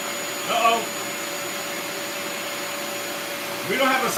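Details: Bissell Lift-Off carpet shampooer during a suction test with brief spray bursts: steady high-pitched motor drone at even pitch. A spray problem was first suspected, but suction is working and the suction motor sounds healthy.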